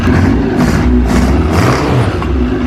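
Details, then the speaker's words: Yamaha RX-1 four-stroke snowmobile in a shop after new battery and oil change, started on full choke and revved hard, pulling cleanly with even firing and no misses or knocks; runs healthy. "Oh! Hey! Doesn't that sound aggressive? Everything sounds good in here."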